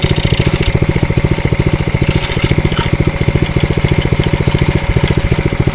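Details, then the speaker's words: Atco Royale B24E cylinder mower engine after carburettor work, running under load with the cylinder engaged: crisp, even single-cylinder chuffing that dips slightly on engagement then picks right up; runs healthy, may still need carb tuning to run fully off choke. "foreign so I think that's a lot better you hear it's like when you engage you see the ribs just sort of do go down a little bit but then um it just picks right up and seems to be okay"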